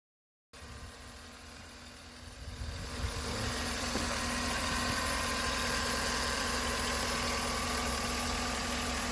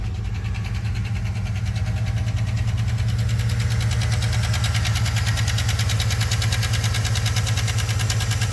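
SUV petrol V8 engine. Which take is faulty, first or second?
second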